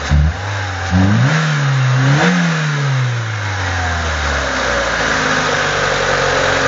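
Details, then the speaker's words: 2000 Renault Laguna 1.6 petrol after throttle position relearn: crisp throttle blips, revs rise cleanly and return to steady idle with no misfire or hesitation; engine responds normally. "Donc on donne des coups d'accélérateur. Tu peux donner quelques coups encore."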